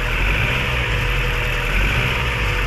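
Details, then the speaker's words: Freshly top-overhauled Mazda 3 idling with very strong vibration, as if one cylinder is dead: lumpy, uneven idle with a stumbling low beat and the engine shaking hard; injectors, coils, plugs and intake gasket checked OK. "Batangas ayan sobrang lakas ng vibration yung mga ganyang problema parang may patay na butas na isa no"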